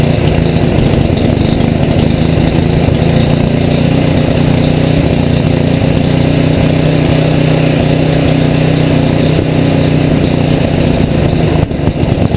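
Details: Rebuilt Tecumseh HM80 on a Craftsman 826 tracked snow thrower, first start with fresh gas and oil, electric start, choke and primer; loud steady single-cylinder drone at high fast throttle, even and unbroken, running smoothly.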